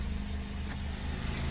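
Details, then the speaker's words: 2009 Acura TSX after misfire repair, no engine codes: petrol engine idles smoothly, a steady low hum with no stumble or judder; normal smooth idle. "we got no engine coats sounds pretty good revving up"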